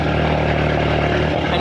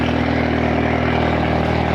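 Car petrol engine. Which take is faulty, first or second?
first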